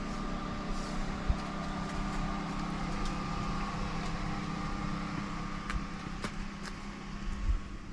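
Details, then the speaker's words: Mimsan 60,000-rated floor-heating boiler after chimney cleaner was added: blower fan turned up to a higher speed, giving a constant airy rush over a steady hum with no rubbing or rattling; soot flakes then start coming out and the pipes begin crackling. "şöyle fanımız da biraz arttıralım hatta biraz daha arttıralım"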